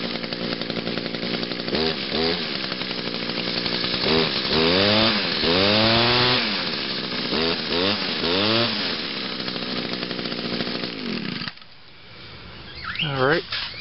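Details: 2002 Echo SRM 2400SB two-stroke trimmer just after a cold start with choke and five primes. It buzzes up and down through several throttle blips, revving cleanly without stumbling, which means normal running.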